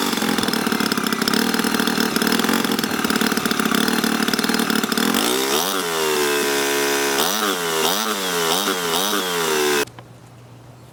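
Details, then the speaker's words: 2006 Honda 2hp four-stroke outboard after carburetor cleaning and adjustment, starts on one pull: buzzes steadily at high speed, then blips up and down cleanly; normal running. "the engine starts with only one pulled and it is properly running time to take it and test it on the water"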